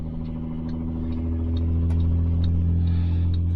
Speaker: They say not to do this. They say don't let a tow truck driver pull you until they disconnect the drive shaft.